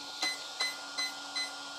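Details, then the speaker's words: FS Racing 53632 RC car ESC (likely) being programmed without a program card: four short high beeps about 0.4 s apart in a quiet room, setting item three, low-voltage cutoff, to value four (3 volts per cell); ESC programming beeps. "there okay and i let go counting four beeps now okay four beeps as you remember on our table is the value that we set it to four is three point volts per cell and that's for item three low voltage cutter"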